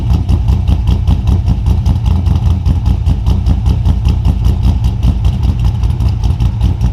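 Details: 2002 Pontiac Trans Am with a 383ci LS1 stroker after a harness fix, 40 psi oil pressure: an even V8 lope with regular firing pulses and clean throttle blips; healthy and smooth.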